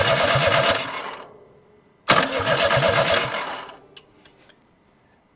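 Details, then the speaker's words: Abandoned Chevy S10 in junkyard, first crank attempts: two short cranking bursts with uneven chug, no run; fuel spraying but it only tries to fire when the key is released, also when jumped at starter; cause unknown, injector O-rings suspected. "is spraying fuel but when you let off of the key is when it tries to hit H yeah this thing will hit when you let off the key"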